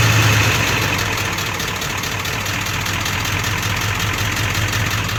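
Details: 1999 Ford Powerstroke diesel with SES light and blinking overdrive light: heavy idle with an uneven loping beat of about four pulses a second that wavers; rough idle despite new ICP sensor and fuel filter, stalls without throttle, no smoke seen.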